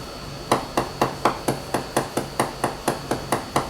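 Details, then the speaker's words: Hammer tap test on a Leopard 45 catamaran hull at a stressed spot with through-cracks: even taps about two a second, each a dull short rattle instead of a clean ring, indicating fibreglass delamination. "I want you to hear the rattle noise you're looking for but you would have to assume that's going to keep cracking and you can't just just keep filling it you're just hiding the problem"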